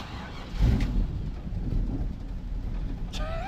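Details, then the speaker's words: 1974 Chevy K5 Blazer small-block Chevy V8, sitting 9+ months, after new fuel lines and fuel bubbling into the filter: fires right up into a low, steady, even idle with a faint puffing that sounds like a minor exhaust leak. "And it fired right up. Sounds like it got an exhaust leak. Big whoop. But it's idling."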